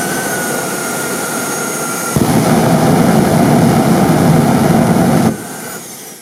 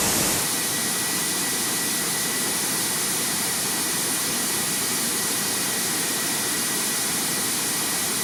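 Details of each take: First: Homemade turbine jet motorcycle afterburner with a new injector: steady turbine whine jumps to a deep rough roar for three seconds, then drops away. Over-fuelled because the new injector needs very little pressure; the fuel valve was then closed almost completely. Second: Homemade jet motorcycle turbine with rebuilt afterburner, tested in a garage: loud, steady jet roar with a faint high whistle, no popping or surging, easing off at the end; stable afterburner that no longer blows out at any speed.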